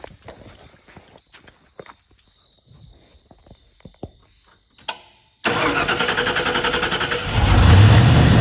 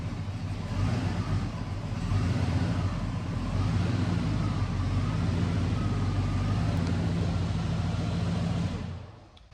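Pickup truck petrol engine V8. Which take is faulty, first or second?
first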